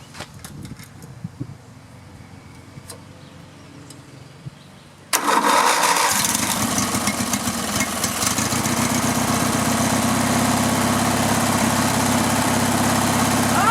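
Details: Riding lawn mower engine with the gas tank bypassed and fuel fed directly to the carburetor: after a few quiet knocks it catches at once and settles into a steady, even beat; engine healthy, so the no-run fault is a restriction in the fuel line or tank.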